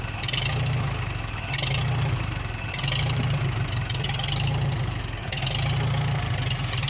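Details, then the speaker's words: Farmall H tractor engine bought at auction, after manifold replacement and valve adjustment (previously ran rough with poor compression): steady low throb at slow even idle, gentle rise and fall, no knocking or misses; runs good. "that really runs good"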